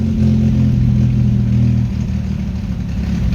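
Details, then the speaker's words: 1983 Buick Regal V8 with rebuilt 500 cfm Edelbrock 1404 carburetor, new electric choke and PowerBlast plate, cold start on the fast idle screw: catches, runs briefly, then sags and dies; owner suspects the fuel pump. "how it's dying so that's why i think the the fuel pump something wrong with the fuel pump i do need to replace it"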